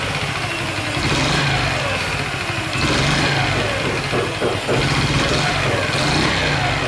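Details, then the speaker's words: Honda Chaly engine after cam chain tensioner check and reassembly, revving and dropping back: light metallic rattle grows with throttle, same noise as before; source unknown, owner suspects cylinder head. "Still makes the same strange noise. Where is the noise coming from?"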